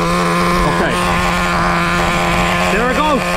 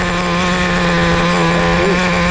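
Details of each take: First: Traxxas Nitro Slash 3.3 nitro engine during break-in, idle too high with a steady fast buzz because the low-speed needle is lean. Richening the low-speed needle drops the idle to a proper level. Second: Traxxas Nitro Slash 3.3 nitro RC car after break-in, idle too high corrected by richening the low-speed needle: steady even buzzing idle, no hunting or surging; good idle.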